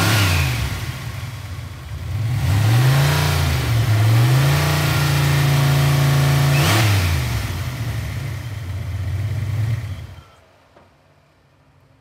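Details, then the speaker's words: Dart engine: deep rumble at idle and through revs with a steady slapping beat about four per second sounding like knocking; owner suspects the exhaust cutout flapping, not confirmed. "so it almost sounds like the engine's knocking but i think it's the cut out over here the cutouts just flapping back and forth"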